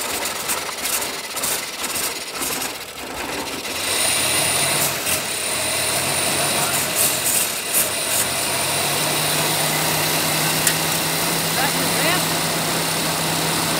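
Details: 1989 Chevy S10 pickup, 2.5L Iron Duke four-cylinder, 5-speed manual, abandoned about 22 years in a Michigan field, started on a trigger switch with little gas: after a few rough seconds it settles into a steady, even run with no misses or knocks, sounding healthy.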